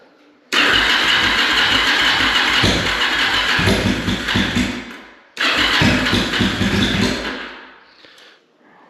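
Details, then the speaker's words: Jocker Bobber motorcycle after pre-season reassembly, during a fuel leak test with the carbs not yet synced: two long bursts of fast, even starter churning with no catch. Cranks but won't start while getting fuel; owner suspects it's just very cold and tries choke. "I think it's just really cold right now. Maybe if we give it a little bit of choke. And try again."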